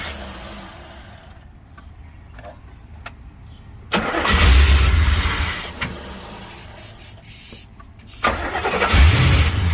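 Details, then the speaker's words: 1984 Corvette after a DIY fuel pump change. The starter churns steadily at about four beats a second, but the engine never fires: cranks, no start. "Miss that sound. Still ain't got nothing."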